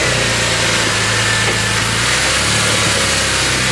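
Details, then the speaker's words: Porsche 996 cold start after Spyder Performance valved sports exhaust retrofit replacing a silencer-delete system, valves closed: deep steady exhaust burble at fast cold idle, no knocks, rattles or leaks. "well it's sounding better already but we'll let it War up then we can do a few reps"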